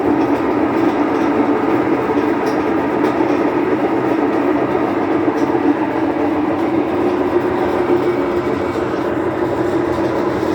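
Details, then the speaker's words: Whirlpool washing machine that won't spin, during drain/spin: constant deep droning roar throughout; damaged, worn drum bearings. "you can hear the sound of the from the bearings that I told you about but they are already starting to squeeze"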